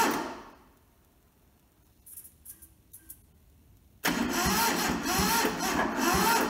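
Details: Toyota SDK4 skid steer diesel under restoration, cranked via jumped starter solenoid after bleeding the injectors and a small dose of ether; quiet, then loud uneven churn about two and a half beats a second, never catching; cranks, no start.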